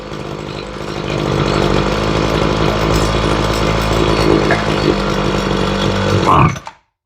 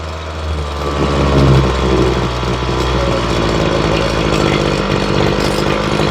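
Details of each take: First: Ryobi two-stroke weed eater after carb and fuel line replacement, during carburetor tuning: the low-side screw went too far down, and it revs hard and buzzy, hunting slightly rather than settling, then cuts out. Lean low-speed mixture. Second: Ryobi two-stroke weed eater after carb and fuel line replacement, during low-side carburetor tuning: a steady, even idle with a low throb and no hunting or stumbling, now running smoother. Normal idle.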